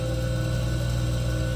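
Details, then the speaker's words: 1977 Wissota S8-B grinder, motor run without disc or cover: light dims at start, spins up quicker with little inertia, steady low even hum, no rubbing or rattle; normal run-up. "Spins up quicker because there's no inertia, with the very little inertia, just the motor."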